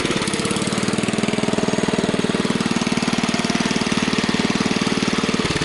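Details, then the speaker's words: Kohler K141S single-cylinder engine after idle adjustment with screwdriver: slow, steady thumping at low idle holding even without stumbling; owner can't tune it better — normal low idle. "I would say that I'm not going to get much better than that on the tuning"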